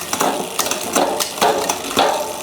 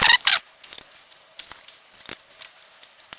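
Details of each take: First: HUP Featherweight youth XC race bike with a Shimano XT 10-speed drivetrain, after the sluggish downshifts were fixed by turning the lever barrel adjuster two turns in to ease cable tension: quick, clean, crisp clicks every half second across the cogs, indexing correct. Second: HUP Featherweight youth XC carbon race bike with Shimano XT brakes, after rebuild; light repeating scrapes and squeaks each wheel turn, caliper still needs centering, disc brake rotor rub.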